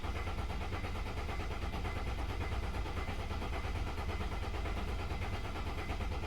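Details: 2003 Mercedes ML 270 CDI diesel: starter turns engine over steadily and evenly for several seconds but it never catches; cranks, no start.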